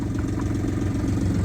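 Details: Boat inboard engine idling in neutral after broken shift cable replaced with new cable; steady even low rumble with no knocks, surges or rattles; smooth healthy idle.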